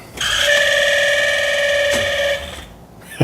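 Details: 1992 Saab 900 Turbo, sitting for years: first key turn gives a steady mid-pitched buzz of about two seconds, then stops and clicks follow; an unexplained warning buzzer the owner calls weird.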